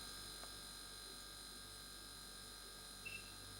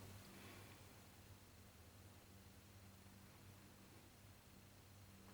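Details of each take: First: Freestanding fridge with ice box: the compressor starts and runs with a steady, even hum and faint high whine, with no relay or overload clicking in and out. Normal compressor running. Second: Fridge with ice box, compressor heard through a screwdriver handle held to the ear: faint steady hum of the motor windings, no start, after a click; stalled and tripping the overload sensor. Overloaded compressor motor hum.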